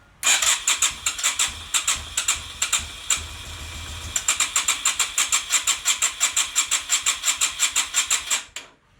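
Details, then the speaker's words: Yamaha XV250 Virago fitted with a cheap CDI, cranking with starting spray down the cylinders: quick cranking pulses with a few uneven catches that never pick up to a run; fires briefly then dies. "Alright, well, we've got some life there, so I'm going to put some more Start Your Bastard in this piston and the other piston."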